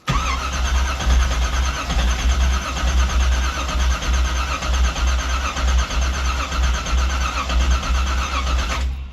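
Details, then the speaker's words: 1984 Camaro Z28 350 cold start on a cold day: steady starter churn about one beat a second for nine seconds, engine never catches; crank no start, owner suspects flooding (engine later runs, rod knock suspected). "Come on. Oh, she might be a bit flooded now. Well, oh well, let's keep cranking her."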